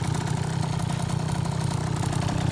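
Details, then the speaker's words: 2004 KTM 50cc Mini Adventure two-stroke just rebuilt with a new piston ring, gaskets and cleaned carburetor, not yet broken in: fast, steady buzz with no drop-off because the idle adjustment screw is backed out too far; high idle. "this is the adjustment screw or the idol say went out too far"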